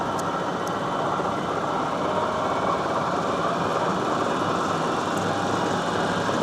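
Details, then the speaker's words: South Bend 14-inch swing tool room lathe, 480V three-phase: steady even hum, spindle smooth with no knocks or grinding, though the gear driving the lead screw is noisy. "The gear that runs this screw is quite noisy. As you can hear, the spindle itself is quite smooth."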